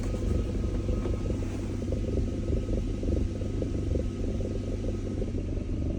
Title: BMW E39 540 strange knocking sound with vibration when in R or D gear